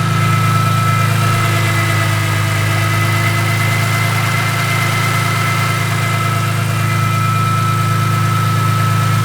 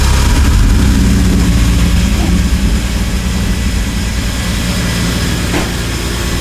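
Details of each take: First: BMW E46 M3 after new spark plugs, ignition coils and valve cover gasket, ratchet removed from the crank pulley: steady, even idle with smooth low hum, no knocks, ticks or misses; engine sounds healthy. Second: BMW E46 M3 first start after valve clearance adjustment, new spark plugs, ignition coils and valve cover gasket to fix a misfire: loud rough low rumble with clattering as the engine fires, caused by a ratchet and socket left on the crank pulley.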